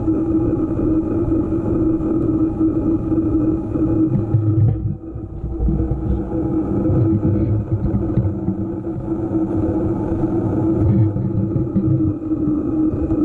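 A steady mid-pitched hum rides evenly over the vehicle's low running rumble throughout; a persistent hum whose source isn't identifiable by ear.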